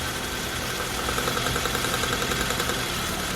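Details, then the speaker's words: Nissan NX idling after new spark plug wires, distributor cap and rotor: even, steady idle with no stumbles or missed beats, light background ticking; all cylinders contribute smoothly, sparking seems stronger than before; normal idle. "Sounds like it has a lot more firing rate. I think the sparks more than what I had before."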